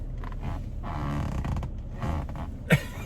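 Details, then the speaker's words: 2020 Toyota Tacoma with 10-way power adjustable seat: low rubbing groans and creaks as the seat bolster is pushed sideways against the center console; seat creak from contact with console. "y but it does contact and it does make noise and i must say in ang's video it did seem to be a lot more pronounced in his especially when he was putting the seat back and forth"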